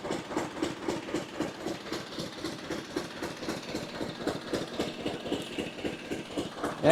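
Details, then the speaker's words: Old stationary Glonet diesel engine, possibly ex-generator, first run: slow, even thump-thump about four beats a second with no missed beats; running cleanly, governor spring tension makes speed vary slightly. "All right. Well, it's running pretty good there."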